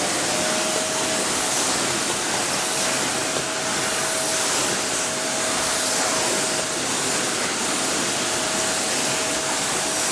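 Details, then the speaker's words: Samsung vacuum cleaner after disassembly, dust cleaning and filters refitted, following an earlier knock or pop in use: smooth, steady high-pitched airflow rush with no grinding or pulsing; pulls perfectly and runs quieter than before. "tất cả mọi thứ, máy hút bụi kéo hoàn hảo. Nó thậm chí còn bắt đầu hoạt động êm hơn, nhưng với động cơ mới thì sao."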